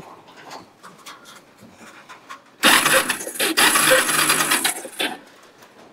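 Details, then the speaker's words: Kawasaki Bayou 300 ATV parked about two years, after carburetor cleaning, good spark confirmed: thin, fast, strained and uneven starter whirring for about two and a half seconds with no firing; starter sounds weak, cause not confirmed. "we're getting good spark starter don't sound too good"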